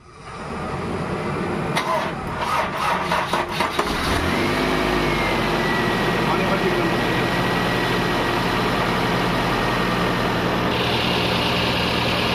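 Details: Toyota Corolla GLi 4A-FE with hard starting, high cold idle, dropping hot idle and stalling on shifting to R/D: cranks, catches, then a slightly uneven, lumpy idle; ignition timing too far advanced, vacuum hose found misconnected.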